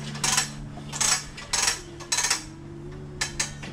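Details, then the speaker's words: Removed car A/C accumulator shaken by hand gives sharp, gritty rattles; its desiccant bag ruptured, leaving fluffy loose material inside, and it is replaced along with the grinding old compressor before the system is flushed. "here we have the accumulator sounds like something loose in there so the desiccant bag party took a beating and ruptured spreading some of that internal stuff out and about"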